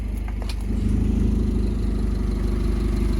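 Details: Honda Civic with the heater on: a warm idle with a light, fairly regular pulsing tick, about three or four a second, over a low hum; source unclear, possibly the heater/AC exchanger.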